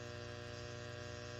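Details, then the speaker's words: ART Pro Channel II tube preamp on a variac at 123 V: steady rough 120 Hz buzz; high mains voltage overloads the voltage regulators, fixed via the 47 ohm 5 W power-supply resistors R245 and R41. "if you hear that that is 120 hertz buzzing that is causing a problem and it can actually get worse"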